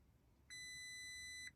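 A single clean high beep lasting about a second over a quiet background; a dashboard warning chime, but the fault isn't identifiable.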